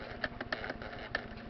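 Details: TRS-80 pocket computer printer after repair with replaced pinions and restringing, printing a name in font size three; short dry ticks and clicks in uneven bursts as the pen mechanism steps, no grinding or binding; prints normally.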